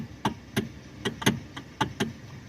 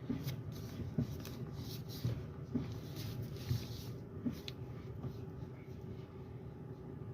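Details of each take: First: Kia steering column giving sharp irregular clunks as the wheel is rocked, wheel shaking at about 70 on highway; broken rubber coupler bushing between electric power steering motor and column. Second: Kia Optima with electric power steering after replacing the worn rubber damper between the steering motor and column: low, steady cabin hum as the wheel is turned, no clunk. The wheel used to shake at highway speed around 70.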